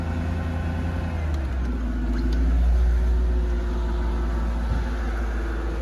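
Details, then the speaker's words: 2002 Mercedes-Benz S55 AMG V8 true cold start after sitting four days in wet Atlanta weather; steady deep rumble at raised, even cold idle, no knocks or misses; turn signal reflector light error shown; normal healthy cold idle. "the engine base you can hear it running cold"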